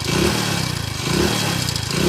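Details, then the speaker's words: Motorcycle idling with a loose metallic rattle and clatter pulsing over the beat; the mechanic diagnoses a failed timing chain inside the engine, with valve noise, and says a new timing chain will make it run perfectly. "Engine లోపల timing chain పోతే ఈ sound వస్తుంది బండికి."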